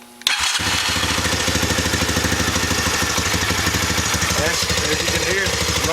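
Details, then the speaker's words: Honda Recon 250 (TRX250TE) after engine rebuild with a bored cylinder and fuel starvation fixed: catches on the starter and idles steady and quiet, no ticking or knocking. Slight smoke expected until residue burns off. "it's running quiet. This thing will smoke just a little bit."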